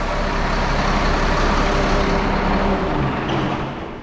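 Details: 1974 Allis Chalmers 7080 tractor diesel after hydraulic leak repairs and steering cylinder rebuild: heavy steady idle clatter, even rhythm, no misses, easing down as it is shut off after the steering test; normal idle.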